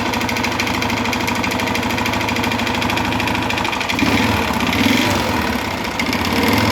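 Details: 2011 Honda Fan 125 motorcycle, started by jumping the panel without the key, running with a steady fast tapping knock under the exhaust beat; loud engine noise from worn cylinder and piston caused by running low on oil, found on disassembly.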